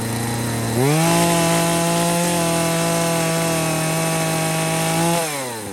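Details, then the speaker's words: Husqvarna 240 chainsaw with a new aftermarket Hipa carb after correcting high/low and throttle adjustments (previously bogging, screws backed out too far), restarted after sitting 15–20 minutes: snaps up to a steady, high, even pitch without bogging, drops back smoothly; running good. "But that's how it's running. It has not run like that since I put that Hipa carb on here. Right now it's running the best it's ever run."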